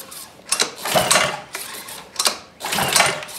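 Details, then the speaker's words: Ryobi pressure washer with a Honda easy-start engine, about a year old, stored outdoors, choke on and a full tank. Several rasping pull-cord pulls and it never catches. No-start suspected from a carburetor gummed up by old ethanol fuel. "and this is a honda easy start so three or four pulls should be started by now so let's just uh get to the skinny you already know what it is gummed up carburetor"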